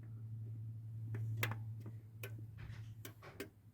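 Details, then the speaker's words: SWS garage door opener, door in open position, down pressed: a steady low electrical hum with scattered sharp solenoid clicks and no motor run-up, then two long buzzes; the door never moves. "you can hear solenoid actuating, then 2 long buzzes, no movement."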